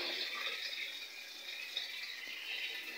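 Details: Panasonic 8 kg top-load automatic washer, after removing a lodged object that had made fill water drain continuously; spin-only cycle draining before spin dry. Steady hiss of water rushing out, no gurgle or choking; normal free drain.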